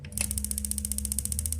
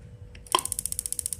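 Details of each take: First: Paloma LPG gas water heater, after fixing solenoid that released too early: one sharp click as gas valve solenoid drops out about 8 seconds without flame, then steady fast ticking over a low hum; solenoid holds and releases normally. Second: Paloma gas water heater, gas not reaching burner: the solenoid plunger snaps before the microswitch acts, giving one sharp snap then quick steady ticking with no release click about 10 seconds later; gas valve solenoid not holding.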